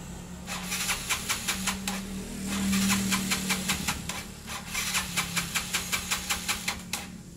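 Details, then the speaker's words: Yamaha Mio Sporty scooter cranking with fast rhythmic pulses, two to three a second, never catching; ignition is fine, and the no-start is caused by tight intake and exhaust valve clearance. "penyebabnya adalah motor ini mati karena di bagian setelan apa setelan ya setelan klep Yang rapat"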